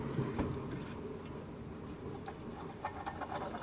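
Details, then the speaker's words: 2002 Yamaha YZ125 two-stroke, engine dismantled: hand-spun main bearing sounds crunchy, with an uneven gritty rattle and ticks. It is rough and contaminated with swarf from a failed big-end bearing. "that noise a little bit crunchy but a lot smoother than that one that one is nasty"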